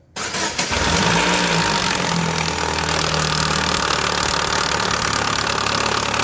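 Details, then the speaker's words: 2015 Chevrolet Aveo with the timing belt cover removed: right after start, a fast light tapping about four per second over the idle, sounding like lifters; the loose timing belt is slapping the cover, not lifters or bearings. "Escuchar Claro pues la verdad el ruido se escucha como si fueran los rusos pero no en realidad no se los rusos ya tuvimos checando bien bien"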